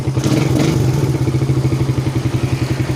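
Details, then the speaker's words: Suzuki Satria FU 150 single-cylinder after valve clearance adjustment and road test: a short throttle blip drops quickly back to an even, steady idle thump with no stumbling. Acceleration and starting are good. "The acceleration is quite good. The initial start is also good and we try to make the engine growl. The position of the gas down is fast"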